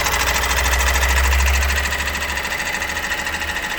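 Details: Opel Astra J 1.6 diesel 136 hp, timing chain previously replaced: quick even rattle about three per second over diesel clatter right after start-up; timing chain rattle, before chain replacement.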